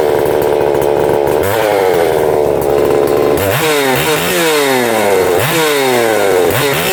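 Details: Husqvarna 262XP two-stroke chainsaw after its broken starter was swapped, giving crisp repeated revs that climb cleanly and drop back to a steady idle: normal running.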